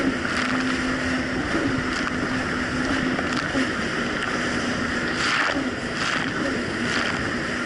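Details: 2007 Yamaha VX Cruiser jet ski riding choppy Lake Michigan after new spark plugs gapped to .028 replaced mis-gapped old plugs: steady even engine drone over water and wind, no rise-and-fall or surging; runs smooth and clean.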